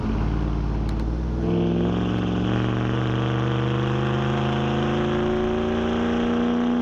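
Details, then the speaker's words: 2009 Dodge Ram 5.7 HEMI V8, freshly broken-in replacement engine, new Flowmaster Outlaw dual exhaust replacing Banks system, cruising unloaded through a canyon: deep, throaty drone climbs smoothly after a gear change, even pulses, no rasp or misfire. Normal V8 exhaust. "It just, I can't even describe how much it changes this truck from just being loud all the time to being pretty mellow and throatier. Like, listen to it. It's just really deep and throaty."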